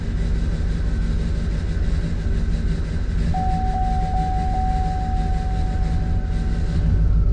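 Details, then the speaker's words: 2007 Chevrolet Duramax diesel that blew white smoke and died, with a fuel issue diagnosed. After a fix it idles deep but lumpy and uneven, with one cylinder not firing, yet the check engine light stays off. "check engine light's not on even though it's not even hitting on one cylinder but"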